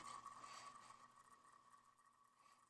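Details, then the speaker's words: About 50-year-old Timex AC-powered wall clock running slow. Its sealed, epoxied gear-reduction motor gives a faint steady hum with a thin, rough, uneven high whine. Likely unrepairable. Noisy synchronous clock motor. "just gotten noisy and so there's probably nothing I can do to save it but uh you know it it ran for 50 years"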